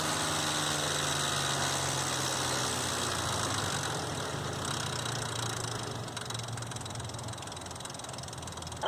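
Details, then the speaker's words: 2005 Nissan Xterra VQ40DE V6 idling with busy, uneven metallic tapping about three beats a second; a tensioner not riding properly left the timing chain slack and slapping, fixed by replacing chains, guides and all three tensioners. "So I don't think the chain was getting tension like it should, and it was kind of slapping around like that. I believe that was the cause of my noise."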